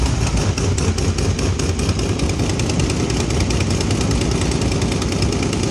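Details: 2010 Camaro SS with BTR Stage 4 cam, cold air intake, long-tube headers and Borla ATAK axle-backs: loud, lumpy V8 idle with a quick, regular ticking puff; header exhaust leak still present after the repair attempt, though less severe.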